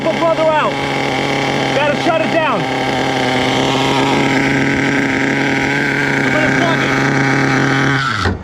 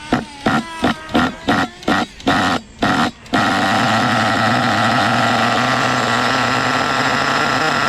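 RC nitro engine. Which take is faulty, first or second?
first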